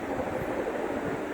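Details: GMC BM-503 56-inch industrial ceiling fan at its highest speed, now slower and wobbling less than before: steady, even airy whoosh with no rhythmic thump or knock, running smoothly.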